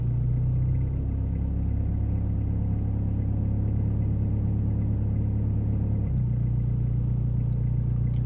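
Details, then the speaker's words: 2000 Toyota Land Cruiser Colorado VX J95, 1KZ-TE diesel, untaxed: catches on first turn of the key, settles into low even idle with steady rumble, no knocks or misses; sounds healthy. "there you go first flick of the key"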